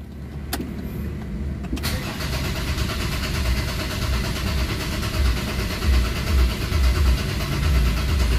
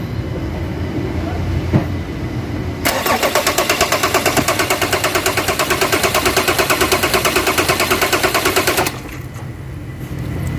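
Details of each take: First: Ford Ranger common-rail diesel after bleeding the filter, pump, common rail and injectors: short crank, then it catches and settles into a slightly lumpy idle that evens out; normal start. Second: Ford Ranger common-rail diesel after a fuel filter change, with its own electric pump priming: about six seconds of steady cranking near three beats a second that never catches; air in the diesel fuel system.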